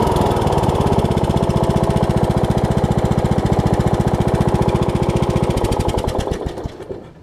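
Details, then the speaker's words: 2006 Troy Bilt Pony riding mower (MTD, VariDrive 7-speed) after new carburetor, fuel lines and drive belts: steady fast single-cylinder putter at even speed with no pops or backfires, then winds down and shuts off; runs normally, backfiring apparently cured. "Alright, I think its backfiring days are done, thankfully."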